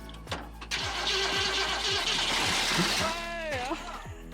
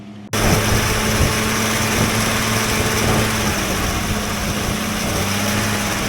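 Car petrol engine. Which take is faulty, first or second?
first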